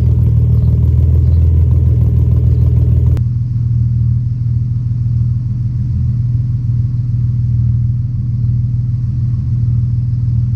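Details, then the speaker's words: Ford-powered 4.0L Mercedes W203 C200 with custom 3" centre exhaust, first-start session: deep loud rumble settling to a steady, even idle. It started very easily, easier than it did in the Ford. A leak was found because the gearbox cooler lines were still disconnected. "I can't believe it started that easy. It never even started that easy back when it was still in the Ford."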